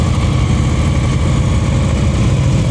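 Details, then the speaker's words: Yamaha V-Star 950 during slow-speed cone practice; the instructor asks to hear the preload. The rider holds about 2000 rpm, having let the engine shake at lower revs before. Dense, even low drone with no misses or knocks; correct steady preload. "Let me hear your preload. 2,000. That's what I want."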